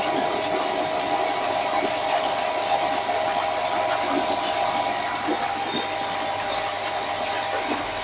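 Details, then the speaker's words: Surya Guna modified jet water pump on a 2-inch suction and outlet, primed by filling the outlet pipe: loud hissing water rush over a motor drone with a wavering tone. The pump still has a problem and is switched off. "Jadi pompanya ini masih ada kendala, Kak. Jadi kita matikan dulu, ya."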